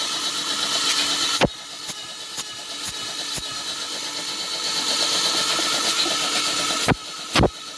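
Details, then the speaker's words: Toyota Vios petrol engine sat 3 months unstarted, lost compression though fuel and spark present: long steady cranking with brief pauses, never catching; crank no start from low compression. "Ah 3 months na hindi umaandar Ong Vios ah nag-lose compression na siya e pero kumpleto may gasolina may kuryente"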